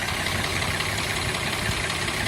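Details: Jeep engine at idle: busy idle with faint light ticking buried in hiss and rumble; owner unsure of tick source, wonders about oil supply, and later finds the oil sender port pumping only a little oil; cause unconfirmed.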